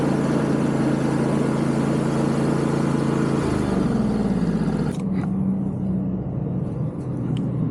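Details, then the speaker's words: Yard Machines MTD riding mower, deck belt had kept jumping off: loud rough whirring over the engine while the deck runs, easing when disengaged; bad deck spindle bearings, replacement bearings or kit needed. "There's definitely some bad bearings in here because that thing is freaking loud. So I think we're gonna have to order new bearings, and it may just be cheaper to buy a whole new kit."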